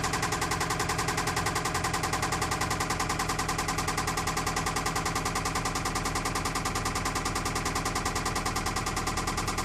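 Sharp, regular ticking knock at about three and a half per second over the idle, even and persistent: an engine knocking at idle.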